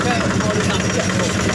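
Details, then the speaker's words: Yanmar single-cylinder diesel on a cement mixer after servicing, mixer drum now turning: even, smooth diesel chug at steady idle, no knock or miss; running normally. "Ya sepertinya MC ciri khas diesel Yanmar ya suaranya halus Jepang Yanmar ini sudah clear dan molornya sudah berputar"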